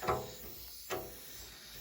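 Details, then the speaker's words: Domestic heating system during a valve replacement, sound at the bleed point: short bursts of hiss about a second apart as air pulls in and out. A massive air lock in the heating circuit. "Right, can't open that just yet. Right. You can hear that's pulling in and out."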